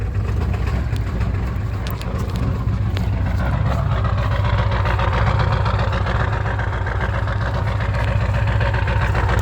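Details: 1996 Ford 7.3 Powerstroke diesel, 292k, cold start at 18°F: heavy clatter, uneven loping idle, smokes until warm; fine warm. Owner suspects misfire or bad injectors; new injector o-rings and cups 1600 mi ago, uses oil.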